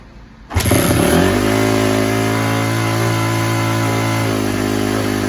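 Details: Rebuilt 2004 Honda CRF250 after clearing a plugged pilot jet in the carburetor: catches immediately, brief rev, then steady even idle with no stumbling or misses; running cleanly.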